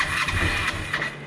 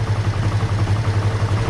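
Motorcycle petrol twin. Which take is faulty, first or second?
first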